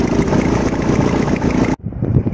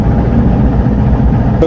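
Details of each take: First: Petrol engine just started after repair, idling with low rumble and faint irregular puffing; a small exhaust leak at the exhaust, part that was due to be replaced or resurfaced. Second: Freshly rebuilt petrol engine (full overhaul, timing set, new rings) fires and settles into a steady, even low idle with no knocks or misses, kept at low revs just after first start; a slight exhaust leak is noted.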